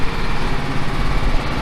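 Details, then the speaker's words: John Deere L110 mower, 606 hours, started on choke; its transmission is making strange noises. The single-cylinder engine idles with a steady, even thump and no knocks or misses; a slight whine from the engine or gearbox was noted afterward. Normal idle. "okay let's start it up put on the break give it a bit of choke [Music] the motor sounds okay"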